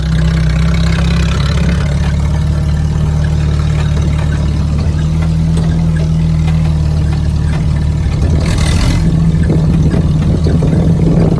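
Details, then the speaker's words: 1967 Jeep CJ5 with manual transmission, off the road 23 years, first start after revival: steady elevated hum well above normal idle, never settling; idle too high, janky exhaust noted. "it's got a high idle it's got no brakes it's got a janky exhaust but I'm telling y'all what I think this thing is going to be a Dandy"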